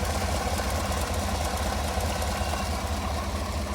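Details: 2017 Chevy Tahoe PPV, about 185,000 miles, at idle: deep rumble with soft uneven tick a couple per second; ticking at idle from exhaust leak identified at cylinder number eight.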